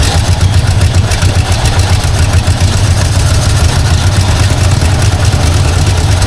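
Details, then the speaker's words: Long-abandoned 1952 Ford Crestline idling low and lumpy, not running on all cylinders, carburetor thought to need work and fed by dribbling fuel; owner suspects a vacuum leak; rough idle. "it's not quite running on all though definitely something going on there just going to try to idle it up here a bit unless I have another vacuum leak I don't know about"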